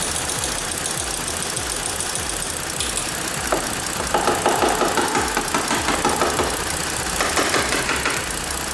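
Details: 2014 Ford Explorer 3.5L, P0019 bank 2 and misfire codes: uneven, stumbling idle with an irregular beat and light tapping on the outside to free a stuck exhaust cam phaser; no change as it's tapped.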